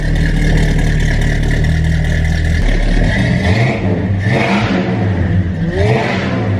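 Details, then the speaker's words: 1972 Ford Gran Torino V8, restored after sitting since 2002, with new dual exhaust and Turbo thrush mufflers: deep, even burble at idle and clean throttle blips, no miss or rattle; healthy exhaust. "Oh, that sounds perfect. Wow. Turbo thrush mufflers. I'm not kidding. That sounds fantastic. How does it sound so good? It's got such a meaty sound to it."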